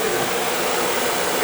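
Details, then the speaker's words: Viessmann oil-fired boiler, no heat: steady blower roar with no light-off. Oil flow confirmed, pump pressure reading doubtful. Nozzle suspected dirty and being changed; no ignition. "check the nozzle i'm getting oil flow let's change the nozzle"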